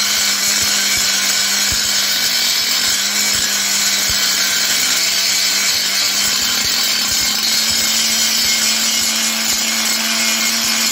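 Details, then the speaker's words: Parkside PGS 500 A1 die grinder, 500 W, 220 V brushed motor, working steel weld seams: high steady whine with gritty scraping, motor holds speed without bogging. Normal operation. "Voyez - maintenant avec un cutter tranchant, je coupe du plastique et ce n'est pas un problème pour cet appareil ..."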